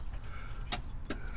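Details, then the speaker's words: Dual SU electric fuel pumps, left/right tank selector, Land Rover Series military ambulance: with the key on, two short sharp clicks over a low rumble as the fuel pump relay switches in normally. "so here we go you could hear the the relay already click"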